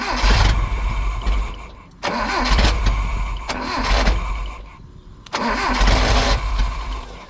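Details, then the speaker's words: Nissan KA engine swapped into a D21 Hardbody, cranked with a starting wire; repeated cranking bursts fire unevenly then die without catching, firing one cylinder because the distributor signal to the computer wasn't connected. "sounds like it's misfiring let's check all the plugs"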